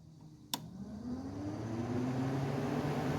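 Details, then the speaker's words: Buick Encore after a new radiator cooling fan assembly, fan run on the medium speed relay: sharp relay click, then smooth whirring climbing in pitch and holding steady; fan works properly at all speeds. "and that works i'm sure you guys can hear the fan turning on so everything works"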